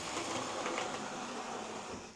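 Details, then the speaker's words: Old Hornby HST model locomotive test run before service and new brushes: an uneven, gritty motor buzz, rough running that needs extra power to pull away; the cause is not pinned down. "There it goes. It's a wee bit rough sounding."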